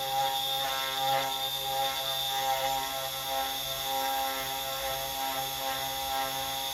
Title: CNC 3018 x-axis shift+ squeaking noise